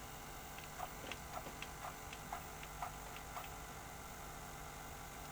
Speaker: Look, I'm going to select freeze frame and we can step forward and that's working and it's tracking properly too.